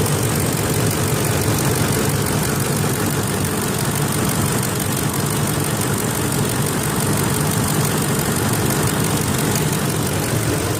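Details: 2004 Ford F-150 5.4L V8 at idle: light fast tick over low rumble; VCT solenoids already replaced, which helped with a dieseling sound, ticking source unconfirmed.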